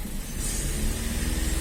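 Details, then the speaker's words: 2019 VW up! TSI, 50,000 km, new original VW clutch kit with actuator fitted two months ago: at about 3000 rpm with the pedal pressed, a steady whir over the engine that stops on release; suspected pressure plate-to-bearing friction or faulty bearing, unconfirmed. "eu sinto bastante esse barulho ó soltei apertei soltei apertei soltei e quando eu aperto gera barulho tá aí O atrito do platô com o rolamento tá aí pode ser uma deformação aí de um de um rolamento com problema"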